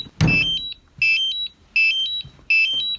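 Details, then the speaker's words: New DJI Mavic Air controller malfunctioned before first flight; two-tone electronic beep repeats about every three-quarters of a second nonstop, audible two rooms away with the closet shut; fault alarm, cause unknown, owner says not the battery. "you can probably still hear the beeping it's in a room two rooms over shut the closet and you can still hear it this damn thing is still beeping and here all the way another room"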